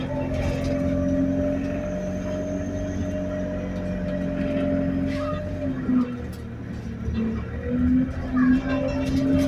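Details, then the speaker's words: Go Ahead London Central ADL Enviro200 bus YX13AFY on route B16, riding aboard: steady mid-pitched whine over low engine rumble shifts pitch with road speed; high idle RPM and turbo screech noted; whine source undetermined. "Bro, what is that whining noise, fam?"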